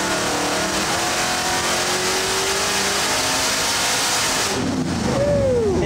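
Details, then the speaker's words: Supercharged stroker 383 small-block Chevy V8 on a dyno, full-throttle run aimed at 7,200 rpm into the 7,000 rpm rev limiter, 630 hp at 6,900: loud roar with blower whine near the top end, even wind-down; healthy full-throttle run. "What's the rev limiter sit at? The rev limiter's at 7,000. 630 at 6,900."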